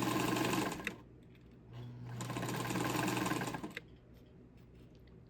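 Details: Montgomery Ward Signature UHT J260F sewing machine, over 60 years old, all-steel gears, cleaned and oiled: quick even needle chatter about four stitches a second with steady motor hum; runs smoothly, healthy.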